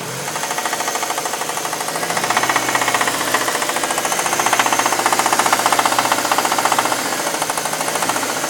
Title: 98 Dodge Neon engine knock